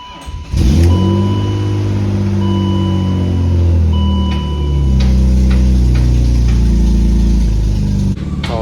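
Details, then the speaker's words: BMW E36 after valve cover gasket, water pump, tensioner and belt replacement, at startup; loud, raspy, uneven rumble with rev blips from a previous owner's custom exhaust with a massive exhaust leak. "the last owner said he did a custom exhaust and it just has a massive exhaust leak so it kind of sounds like crap"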